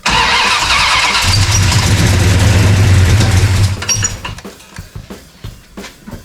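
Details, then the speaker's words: 1969 Dodge Charger General Lee, run on poured-in gas: catches and roars unevenly about three seconds, then fades and dies as fuel runs out; engine dies from fuel starvation. "I'd say that's progress. Again? Why? It's thirsty, dummy."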